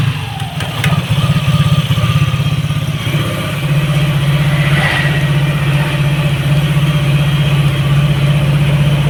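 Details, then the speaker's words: Yamaha NMAX all-new v.2 scooter after ignition system repair, parts replaced and sticky throttle cable fixed: steady, even low drone with smooth rev and clean settle back, no stumbling or cutting out. "ส่วนสายคั้นเร่งที่ฝืดนะครับนี่ครับแก้เรียบร้อยครับนี่ครับติดสบายสบาย"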